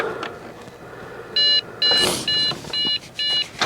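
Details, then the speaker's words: Trash-picked Dell Inspiron 660S desktop (Celeron, DDR3): CPU fan spins, it shuts off, comes back on, then five sharp high beeps with fan noise behind; first suspected a memory error, but the failed boot was traced to a dead CMOS battery. "The CPU fan spins, and then it shuts off, and then comes back on, and then does this."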